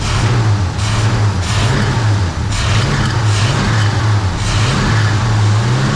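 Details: 1966 Pontiac 2+2 with 421 V8, warm idle after freeing a stuck front carb float; choke not fully open and engine loading up. Faint chirping squeal over a lumpy beat: belt squeal from very rusty pulleys and a belt that could be tighter.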